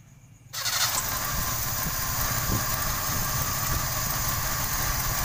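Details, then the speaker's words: 1995 Toyota Kijang 5K engine after abnormal, stalling idle was fixed by plugging a likely broken part with a bamboo plug: catches quickly, steady even idle without stumbling; normal idle, power slightly low. "Dan normal ya. Normal. Tenaga sedikit sih, tapi enggak ini. Enggak yang tadi enggak nyetot ya. Sudah normal suaranya teman-teman ya."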